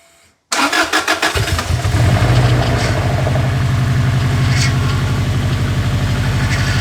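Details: Subaru Impreza WRX rally car engine that survived a heavy crash, first start in the new shell after a missing main relay was refitted: a few cranking beats, then it fires within about a second and holds a steady, slightly lumpy idle.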